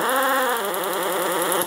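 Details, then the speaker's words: Air ratchet with debris clogging its air inlet screen: sluggish, wavering buzz sagging in pitch instead of spinning up crisply, compared with a fast, peppy run once clear; low power from a clogged inlet screen. "I put debris on that screen and that's what it sounds like and here's what it sounds like when it's not like that real fast real peppy no problem"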